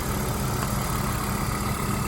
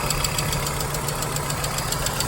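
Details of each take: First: 1997 Volvo 850 petrol engine idling smoothly and evenly, no hydraulic lifter tapping heard this time; tapping normally ceases once driven hard, oil pressure light goes out immediately. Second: 1997 Volvo 850 at steady idle: quick, fairly even light tick about three or four per second, suspected hydraulic lifter tapping; ceases once driven hard, oil pressure light goes out at start, injectors ruled out by ear, cause unconfirmed.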